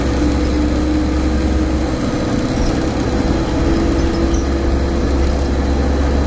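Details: Optare Solo bus 47020, PO51 WLK, recorded on board in service between Whitehaven and Workington in May 2015: a steady loud drone with a constant low hum and a faint higher tone. The source of the hum is unknown.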